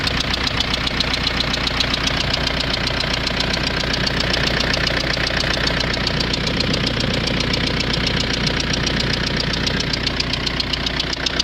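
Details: Renault Scenic 1.9 dCi diesel at idle: steady clatter with a sharp, regular knock about two and a half times a second; owner suspects an injector knocking, not confirmed.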